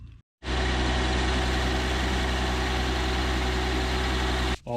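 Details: 2002 Mercedes-Benz SLK32 AMG supercharged engine at first start after water pump replacement and coolant refill: steady, even low rumble with a faint pulley whir and no knocks or misses. Tensioner pulley and supercharger pulley bearing still need attention. Normal running.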